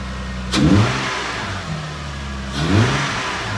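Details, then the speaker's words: Toyota 2JZ-GE VVT-i engine first start after replacing the cam gear inner O-ring on the car; smooth idle with two clean throttle blips, no misses or rattles, to be warmed 10–15 minutes and checked for leaks. "all right so we're gonna let it run for a little bit probably 10 or 15 minutes get it warm and then kill it and see if that seals leaking"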